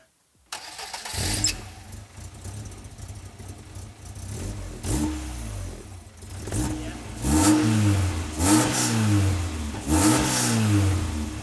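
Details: MGF barn-find sports car after fitting a new Janspeed exhaust manifold: cranks and catches cleanly, settles to a steady idle, then takes several sharp blips and drops back evenly; sounds healthy.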